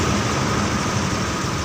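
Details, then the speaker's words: Honda Vario 125 CBS fuel-injected scooter with new battery and DTCs reset after sudden stalling and no electric start; steady, even putter at about 1500 rpm warm-up idle, no knocks, waiting for 80°C. Normal warm-up idle. "langsanya sudah di 1500 nanti kita tunggu suhu sampai 80 derajat Celcius baru bisa dicek kondisi motor ini"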